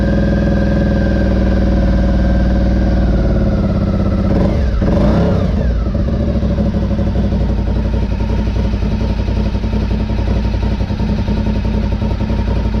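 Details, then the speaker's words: 2003 Honda RC51 SP2 V-twin, first start after repairing rodent-chewed wiring to the harness and sensors. Deep, even idle at about 1,000 rpm with a brief blip midway, then steady, with no rattles, cam noise or big-end knock. Normal idle, mechanically healthy. "Fantastic, and idles nicely at 1,000, so that's the result. That really is a result. Very happy, and at least from what we can hear, engine sounds pretty good as mechanically. No rattles."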